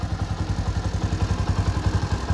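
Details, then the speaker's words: Bajaj Boxer X150 motorcycle idling right after an oil change following a 697 km long-distance trip, run to circulate oil through engine and gearbox: steady, even low thump with no ticking or rattle; normal, smooth idle. "Make sure you turn it on, it idle a little bit, so everything works nice. Right now you can see the sound is so smooth."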